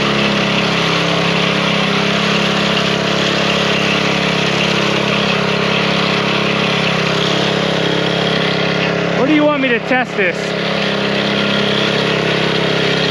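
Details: Small single-cylinder engine that would not start, running after a few drops of old fuel were drained from the fuel line: steady, even idle, no misses or surging; bad gas was the cause, now running clean.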